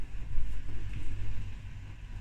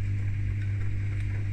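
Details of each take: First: Beko WTIK84121 washing machine on Cottons 60 main wash: low, steady droning motor hum under normal irregular water sloshing, not normally audible. Unusual motor drone, cause unknown. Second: Beko WTIK84121 dishwasher on a Cottons 60 main wash: owner hears an unusual motor sound beyond normal water sloshing; steady, low, even hum with no rattles or grinding, identified as the pump running normally.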